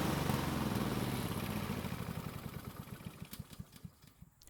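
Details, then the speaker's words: Husqvarna self-propelled lawn mower test start after carb refitted and stuck throttle plate freed: small single-cylinder engine popping evenly about four beats a second then winding down, running clean and steady; carb now working normally. "so it seems a stuck throttle plate was the problem and after freeing it the carb is working just like it's supposed to and the engine seems to be running very well"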